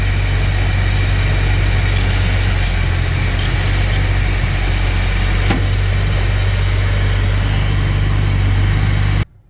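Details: Chevrolet C10 with Rochester B carburetor: low, lumpy, uneven idle that revs up and smooths when brake cleaner is sprayed at the loose throttle shaft, confirming a small vacuum leak; fix is reaming and brass bushings.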